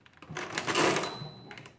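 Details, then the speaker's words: Marchant KE mechanical calculator after rebuild: short clatter of gears and keys, then a faint, clear ding as the carry runs fully across; normal carry bell. "you can hear that bell it's kind of faint but it's there"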